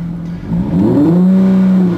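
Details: SRT-6 supercharger testing, supercharger kicking on around 1300 rpm: clean, smooth rise in engine note revving up from idle, no knock or rattle; normal rev.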